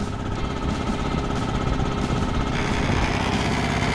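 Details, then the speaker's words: Free scrap electric air compressor being revived: fast, even piston chugging at about two beats a second, no knocks or squeals. Runs smooth and super quiet. "All right, now I'm hearing another. I had all the noise away. Vibration. This thing is super quiet."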